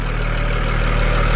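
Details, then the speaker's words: BMW direct-injection engine at cold start idle: loud steady idle with fine, even ticking laid over it, ordinary injector tick louder with little foam under the cover; normal, nothing wrong. "this is what's going to be called just the injector tick. They're just going to tick just like this. This is a normal ticking noise."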